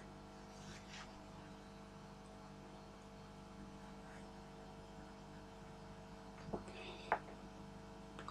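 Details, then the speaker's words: Home-built tube regenerative radio, no station received with any tuning or regeneration setting: only a quiet constant low 50 Hz mains buzz from the speaker; circuit scrapped, cause of no reception unclear. "turn out the Regeneration control doesn't matter all I'm hearing is a birds that may sound a bit weird to some of you living outside of England who live in 60 HZ regions well here the AC sounds like sounds like that"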